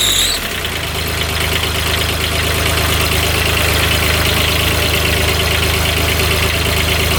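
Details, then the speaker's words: Kubota RTV900 diesel UTV (stated as 2007 and as 2009), bought running but blowing white smoke with coolant issues, now after repair: revs up quickly to a loud, even roar with no misses; unsure the last cylinder fires; normal revving. "Seems like it's revving out okay."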